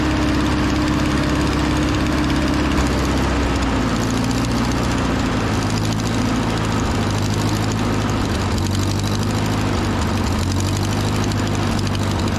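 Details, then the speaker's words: Over-80-year-old Ford 9N tractor, four-cylinder, running pretty decent after its first revival: a low, even idle with a raspy puffing edge from an exhaust leak; otherwise quiet. Antifreeze smell makes the owner suspect a head gasket. "tell you what if it wasn't for the exhaust leak this thing would sound nice really quiet"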